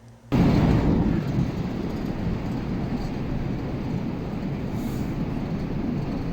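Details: Air-conditioner indoor blower, motor rated 15.1 A: steady, heavy rush of air with a low rumble, no knock or squeal; excess airflow beyond design suspected, pending measurement by an air-balancing team.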